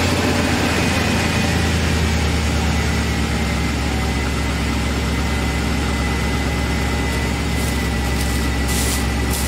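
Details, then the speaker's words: 2004 Chevy Express 3500 Roadtrek Popular 190 camper, cold start with no throttle: deep, smooth, even idle with no knocks, ticks or misses while the lifters prime; normal healthy engine. "It's not going to give it any gas or anything. Just let it start and then prime the lifters."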